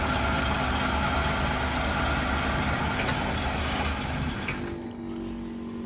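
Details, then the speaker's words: 1972 Chevy C10 with a 350 V8, sat in a barn 30 years, running on primer fuel at 29°F: smooth steady idle with an even beat, then dies near the end when it runs out of gas; engine sounds healthy. "Very nice. Actually sounds really good."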